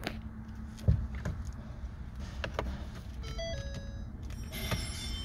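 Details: 2013 Ford C-Max hybrid that started once after a gasoline engine replacement, then would not restart: a brief run of bright dash chimes on the start attempt, a hybrid system fault warning; code shows the high-voltage disconnect circuit open.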